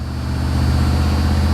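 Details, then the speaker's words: 1982 Chevy Camaro Z28 V8 with Crossfire injection, 134,000 miles, just started on a mild day: smooth, steady V8 drone at about 1800–2100 rpm with no dips or misses; high idle. "idling a little high but hopefully it'll drop down here in a second she's running about 1800 rpm now 2 000."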